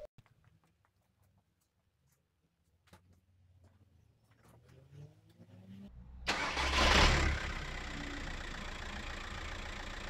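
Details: 2007 Audi A3 2.0 TDI (BMM, 140 hp, over 300k original) restarted during service before fuel filter change: starter catches and diesel settles into an even, steady idle with no knocks; normal idle.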